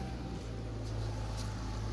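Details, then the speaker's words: 3.6 Pentastar V6, 184k, after replacing a broken rocker arm on intake side: smooth low hum at steady idle 25 minutes later with no valvetrain ticking; normal idle. "Alright, guys. Hey, no ticking, guys. 25 minutes later, this is how it's supposed to sound."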